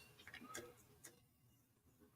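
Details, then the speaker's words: Faint irregular ticking behind the dash after starting the car and turning on the air; it runs about a minute, then stops. Suspected failing blend door actuator, unsure which one. "Then when I start the car, and then turn on the air, let it run for a minute. It'll do its thing. Sounds like you got a blend door going bad."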